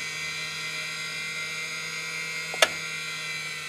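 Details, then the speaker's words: Electric backup turn-and-bank gyro in a 1956 Piper Tri-Pacer, engine off: thin, steady high-pitched whine as it winds up after switch-on, with a single sharp click. The red flag disappears, showing normal operation. "So I know that when that flag goes away, you can hear it winding up."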